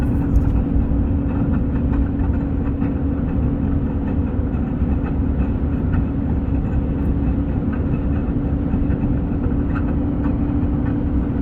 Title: strange noise front left side engine compartment